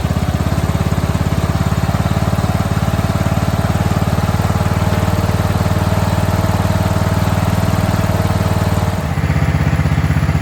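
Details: Scrapped mower left sitting beside a shed, first start after basic maintenance, about 75°F ambient: strong, steady single-cylinder thump with a brief dip, pack-rat debris burning off the engine; running well, carb not yet finally adjusted, no air cleaner fitted.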